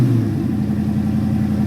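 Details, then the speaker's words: Fox-body Mustang V8 with BBK intake, Edelbrock throttle body spacer, mass air conversion and MSD ignition, just after replacing the starter solenoid: fires right up and runs with a steady, even rumble, no knocks or misses; timing not yet set. "but starts right up and runs like a champ so that's what was wrong guys"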